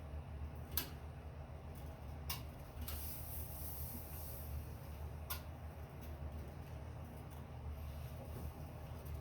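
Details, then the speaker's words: Sunny Cardio Climber SF-E3911 stair climber pedaled under body weight: sharp, sparse clicks over a low rumble, heard only when weight is on the pin, not when spun freely; clicking traced to dry roller rails. "Well, it would seem to me that it's got to have something to do with putting weight on this pin when I'm standing on it, because I don't hear the clicking if I just freely spin it."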